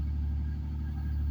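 Deep, steady idle rumble with an even beat and no knocks or ticks; this engine is idling normally.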